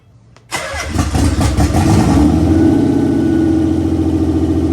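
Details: Nissan 300ZX Z32 converted NA to twin turbo, first start: a few cranking beats then catches into steady even idle without misfire or stumble; normal start and idle.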